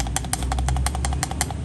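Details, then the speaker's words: Car suspension joint with excessive looseness: quick, sharp metallic knocks, about five or six a second, over a low underbody rumble. Knocking is heard when turning left and right. Fix is to check the parts and replace any that are bad. "ये आवाजें इस तरह आ रही थी यह losing इसके अंदर काफी ज्यादा आ गई जिसकी वजह से गाड़ी के अंदर आवाज आ रही थी"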